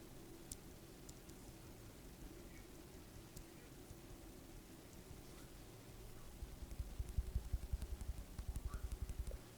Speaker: you can hear that it's basically non-existent.